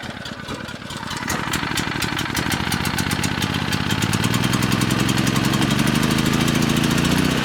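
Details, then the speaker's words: Brand-new cheapest Chinese mid-size gas generator on first start; sharp rapid ticking puff on each firing pulse over engine drone, also oil leaking from engine bottom; exhaust leak. "we got an exhaust leak too"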